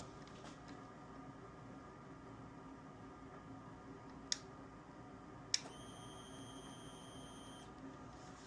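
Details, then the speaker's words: Motorcycle in cold weather, key turned: one sharp click then a steady high beep for about two seconds with no cranking; likely severely under-voltage battery, to be charged overnight. "Must be like severely under voltage."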